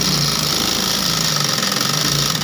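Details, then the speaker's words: 8500B-model sewing machine after re-setting its timing, which had slipped and caused loud noise; now fast, even mechanical chatter at a constant rate that winds down smoothly at the end, running freely: normal running. "आप देख रहे हैं ना कैसे भाग रहा है अब आगे पीछे का भी टाइमिंग दिखा दे रहे हैं आप देख लोग करने में भी प्रॉब्लम नहीं होगा मेरा मशीन का"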